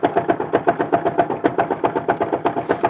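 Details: Alfa Romeo engine knock, heard most from below and also at high revs, cause unknown: sharp, regular knocks about four per second over idle with a hollow metallic ring; engine knock.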